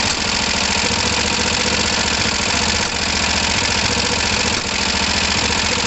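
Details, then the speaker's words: Kawasaki ER5 motorcycle, not yet warm, with uneven idle and sharp spits back through the carbs near 3 and 4.6 s while carbs are checked for overflow drips; owner suspects the fuel pump or filter is starving them of fuel. "It was up there we were seeing it, wasn't it? It was here. Oh look, we've got that weird spitting back."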